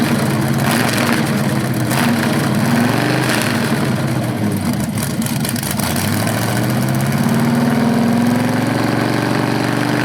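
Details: BluePrint 396 crate engine for a 1970 Camaro SS, first run after oil priming and timing check: lumpy idle dips, climbs smoothly with throttle and settles, no knocks or misfires; normal, owner unsure if flywheel or headers sound different on revs.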